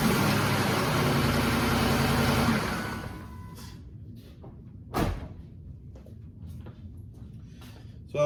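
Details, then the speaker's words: 2007 Ford F-150 5.4L 3V Triton V8 cold start after sitting 15–20 minutes: loud, busy metallic timing chain rattle, worse the longer it sits, from tensioners bled off leaving chain slack; timing set due for replacement. "you should have noticed on that initial startup it had quite a bit of rattle to it the longer it sits the worse that rattle is when it first starts"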